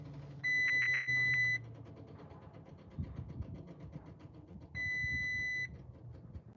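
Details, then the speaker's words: Audi that wouldn't start, new battery just fitted: two separate bursts of a steady high-pitched chime over a quiet background as dash warns "engine start malfunction, please service"; fan cycling on and off, cause not yet identified, scanner planned. "So it says engine start malfunction, please service."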